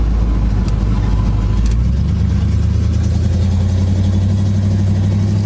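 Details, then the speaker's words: 1976 GMC Sprint on first test drive in 15 years, engine pulling under load: deep, even drone with steady rise in revs, no knocks or misses; normal engine running, motor sounds good. "Oh, motor sounds good though."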